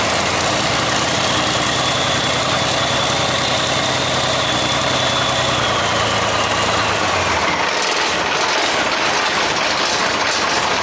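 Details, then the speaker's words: Salvaged 6.4 HEMI with a spun bearing and a suspected bad injector, first start: a rough, clattery idle with a metallic rattle of unknown cause for about seven seconds, then shut off. "DON'T WORRY ABOUT ALL THAT. OH, IT'S ALL that rattling. It runs."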